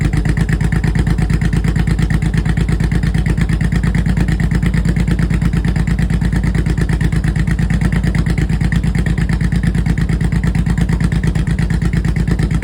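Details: 2004 Honda VTX 1800C V-twin idling after clutch replacement: deep, even, steady pulse with no knocks, ticks or misses; healthy and settled.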